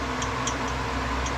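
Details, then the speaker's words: Old Craftsman wood lathe after the spindle locking pin was freed and the set screw refitted: soft irregular ticks a few times a second over a steady whir, following spindle rotation; the pin no longer touches, and the added washers/spacers are a possible source. "It's making a ticking noise, but it's not making contact with the locking. pin anymore."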